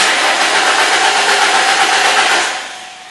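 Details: Ford/Lincoln/Mercury cranks evenly for three seconds but won't start after a dead battery was charged; spark and injector pulse OK, no fuel pressure.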